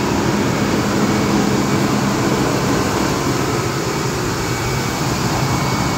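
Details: Abandoned Ford F-150, cold start after sitting, cranked from outside the truck; cranking a little weak, battery charger suggested: steady even idle hum with constant low drone, no knocks or misses; starts and runs good.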